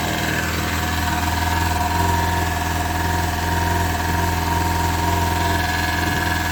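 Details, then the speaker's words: Classic Lada Zhiguli (VAZ "shesterka") at even idle on first start after a flat battery was charged: a deep hum with a thin metallic rubbing tone. An unusual noise of unknown source. "работы какой то очень непонятный звук происходит и знают куда но этот звук очень какой-то странноватый такой"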